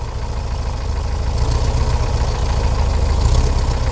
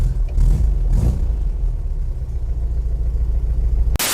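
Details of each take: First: 1968 VW Type 3 Fastback air-cooled flat-four, cold, just reinstalled: fast steady idle that won't settle back down; owner suspects the carburetor linkages and plans to check them and resync the carburetors. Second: 1968 VW Type 3 Fastback, air-cooled, cold start after new IRS subframe, engine and transmission install, having sat a couple days: deep, steady, slightly uneven low idle, no knocks or rattles; starts easily and idles fine cold, with no fuel leaks.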